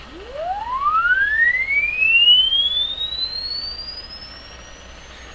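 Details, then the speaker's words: Crosley 12B tube radio with tone control at full, deliberately detuned: a clean test tone sweeps upward and stays clear into high treble, so the speaker can reproduce highs and the IF alignment is causing strong treble roll-off. "so what that's telling me is that the radio and the speaker has the ability to produce very high tones but the radio itself isn't allowing that to happen because of the way it's aligned in tune"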